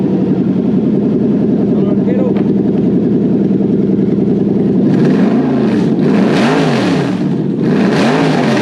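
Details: Lexus LS430/Celsior 3UZ V8 on a test engine, after its ECU was reflashed with the immobiliser removed (before, it would not even try to fire). It settles to a smooth even idle, then rises and falls cleanly through several blips without misses, running normally.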